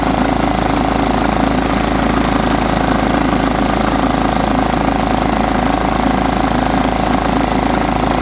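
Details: John Deere STX 38 riding mower, revived with a new battery: single-cylinder running steady and even, firing about four times a second, no knocks or misses; normal running.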